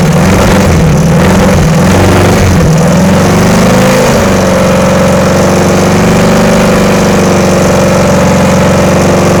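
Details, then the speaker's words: VW-engined Sterling kit car after static timing and adjusting loose valves: engine hunts and stumbles then settles to an uneven, lumpy idle; runs rough, wiring next to sort out, fuel pump suspected, cause unconfirmed. "well it does run go through and take care of the wiring and see if I can get it to run a little better"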